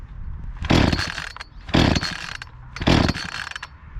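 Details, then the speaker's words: Echo CS-352 chainsaw that started then died, now with replacement carburetor, started cold after cooling: blipped three times, revving cleanly and dropping back to steady idle without stalling; running properly. "it started up and I finished cutting this log that I started with last week with the old carburetor on it had a tough time going through it but the saw is running properly"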